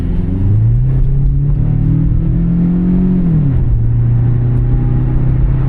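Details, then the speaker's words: Toyota Corolla XRS automatic on a dealer appraisal test drive under heavy throttle; engine note climbs hard, drops cleanly at the shift, climbs again with no flare or clunk. Shift points good, normal shifting. "Okay, everything seems good with some heavy throttle pressure. Yeah, this is just a nice little car."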